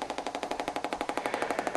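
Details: Compaq Presario CQ50-130US laptop, three weeks old, sound card defective: loud, even machine-gun-like popping about eleven a second from the speakers, like a Geiger counter, started suddenly; cause not confirmed (network cards also failed).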